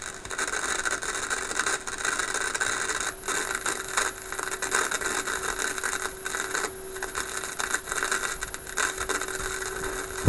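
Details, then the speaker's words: Philips 922 vacuum tube radio; hash appears after about an hour of running, with a signal generator tone in the background. Crackly hiss with irregular static bursts, traced by scope toward the first IF stage. Intermittent static noise, cause not pinned down. "now we're waiting for the noise there's a little bit of noise there so I I see nothing on this display that looks like that noise wait a minute yes I do"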